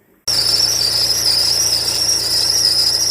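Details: VW Golf 7 TDI on a cold morning start, due for a timing service with water pump, underbody cover and right wheel liner removed. Loud, steady high-pitched squeal over a faint engine hum; the accessory belt is already new; water pump bearing squeal.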